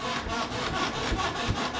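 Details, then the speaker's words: 2012 Polaris RZR 4 800 before lubrication, rear has sway bar and was greased previously; rhythmic raspy squeak about four times a second as the rear is bounced, rear much squeakier than the mildly squeaky front; dry suspension pivots squeaking. "so before we shoot any oil on any of the connections here's the front end now so a little squeaky not terrible"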